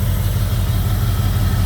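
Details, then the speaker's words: 2002 Jeep Grand Cherokee 4.7 HO V8 at idle with coil 3 unplugged: uneven, lumpy idle skipping regularly as a cylinder drops out; misfire persists even after replugging, engine visibly bouncing, history of melting coils. "Okay, runs like shit. Plugging coil 3 back in does not solve the problem. Still missing."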